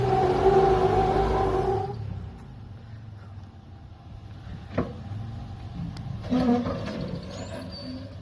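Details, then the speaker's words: 2000 Toyota 4Runner SR5 off-roading on a trail: engine strains hard under load up a climb, then cuts off and one sharp crack follows as a CV axle snaps near the top and drive is lost. "You hear it snap right as it gets to the top."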